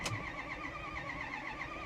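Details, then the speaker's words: 2010 Ford F350 6.4 Power Stroke, 98,000 miles, earlier white smoke and empty coolant bottle. Steady cranking with faint regular ticking, never fires; fuel pressure fine, no codes. Owner suspects three cracked or melted pistons. "So unfortunately, I can't get the F350 to start. I'm guessing what's going on is the engine has either cracked or melted pistons."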